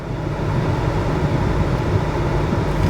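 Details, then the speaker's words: 2019 Ford Escape after replacing the front wheel hub bearing and left front wheel speed sensor, road test: only smooth, even low road rumble at speed, no hum or growl; noise gone, bearing healthy. "Well, I can tell you for sure that noise is gone. That's right. No more noise."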